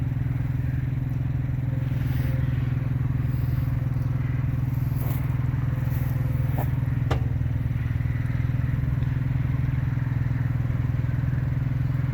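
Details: RV auto-leveling: steady hydraulic pump drone with sharp pops and cracks as the jacks level; popping under load, owner thinks he may have found the cause, not confirmed.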